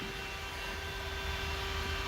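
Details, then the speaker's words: 1978 Ford Courier, newly installed Davies Craig EWP-150 electric water pump and SPAL electric radiator fan running on override: steady smooth whir with one constant tone and no rattle or scraping, normal operation. "so all right let's go turn the override off so we've got the water pump running and the fan running in our override condition"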